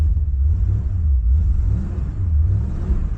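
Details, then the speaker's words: 1972 Chevrolet Impala V8 on second start attempt after the coil wire was refitted: deep, even rumble with no missing pulses, slow to respond to throttle, idling smooth on all 8 cylinders. "Car runs so smooth whenever it's actually got all 8 cylinders. It's amazing."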